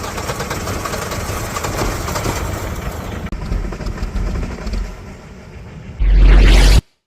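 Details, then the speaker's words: MINI Cooper cranks with rough, tractor-like churning, then a loud burst and cuts out without starting; spark plugs were cleaned and it had a new alternator and battery, and a garage claimed the ECU is faulty. "I cleaned the spark plugs real quick and had a go at it. It still does not start and it sounds like a tractor."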